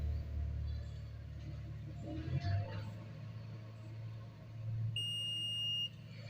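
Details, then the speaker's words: Samsung Galaxy M20 phone with a no-service network fault, multimeter continuity test across the middle terminal of the network antenna wire: one clean steady high beep of about a second, meaning continuity, so the network wire is good. "तो friends इसके बीच में भी friends beep की आवाज़ आ रही है।"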